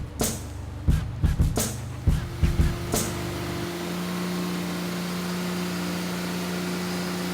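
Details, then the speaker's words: 1981 Datsun Bluebird 910, built VQ35 turbo (Elgrand bottom end, forged pistons and rods, VQ30 heads, Kelford cams) on Haltech, after cam timing fix: sharp throttle blips pick up cleanly, then smooth even drone running on all six. "sounds like that um cam timing's right this time around Timmy it sounds better it sounds good running on all six"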